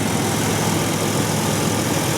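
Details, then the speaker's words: 1997 Ford Ranger engine, about 228,000 on the clock, never rebuilt, just reassembled with valve covers and thermostat back on; earlier knock almost gone: even, steady idle with only a faint vibration, no misses, knocks or surging; smooth, healthy. "it's got a little a little bit of a vibration but man is that ever nice at 20 years old never rebuilt but man is that ever smooth"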